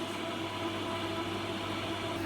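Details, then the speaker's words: Vending-machine refrigeration unit, brought in with compressor not running, after repair: fan motor turning the right direction and compressor running, an even hum with smooth fan rush and steady compressor note, no rattles; working perfectly. "That motor's running. That's the fan motor's running nicely in the right direction. Compressor's running."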